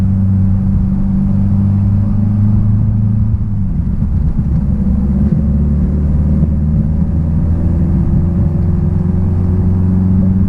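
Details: 1966 Triumph Spitfire, rebuilt 1147cc engine, on the road after fuel system stripped and lines flushed: deep steady drone under load, smooth even pull, no misses or popping; normal engine under acceleration.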